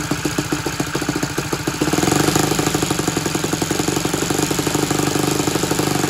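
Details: Saito 100 four-stroke nitro glow engine, tuned, at full throttle on thrust test stand with non-recommended propeller: fast, even firing steps up then holds a steady high pitch; a little over seven pounds thrust; normal clean full-throttle run.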